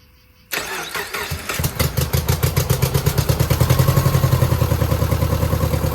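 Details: 2009 Subaru Forester X EJ253 with reman heads, third start after the intake hoses were corrected: an uneven, loping idle with a persistent miss and no smoke; a cylinder 2 misfire from a cracked head or water in the block is suspected.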